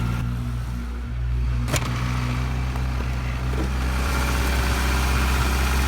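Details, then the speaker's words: 1987 Toyota pickup, 22R four-cylinder, 5-speed, 177k miles, cold morning start after sitting six weeks: a little rough at first, now a steady, even low rumble with no knocks or misses. Normal idle, though later noted still idling high. "A little rough when it first fired up, but the old 22r is purring now."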